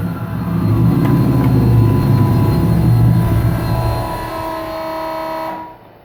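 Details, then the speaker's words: 1999 Nissan Frontier SE, turbocharged VG33E, newly built and run briefly without coolant: a steady, smooth low drone, then shutdown with a faint whistle as the turbo keeps spinning down for a while. Healthy running. "But it sounds really good. The turbo is probably still spinning right now."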